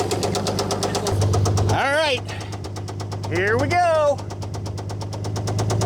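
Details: Old Dodge Power Wagon flathead on a temporary fuel setup and 12V coil, no cooling system, idle turned down: sharp evenly spaced knocks, several a second, under background music; rod knock, worn connecting rod bearing.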